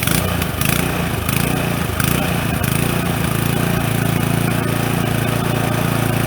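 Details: Brand-new Toro TimeMaster 21200 electric-start mower, first start: steady single-cylinder idle putter that holds pitch as blades engage after a first-time delay, then runs smooth and even; normal idle and blade engagement.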